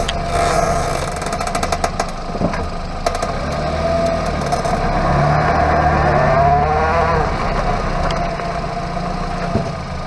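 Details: Hyundai Avante MD underbody noise: low, steady droning growl while driving, from a worn wheel hub bearing.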